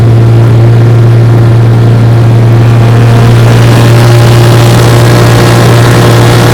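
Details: 1958 Johnson 3 HP JW14 two-stroke outboard, fully restored with a rebuilt magneto and lower unit, warm, under load pushing a boat about 5 mph: a steady, even drone at constant speed with no misses, surging or knocks, healthy.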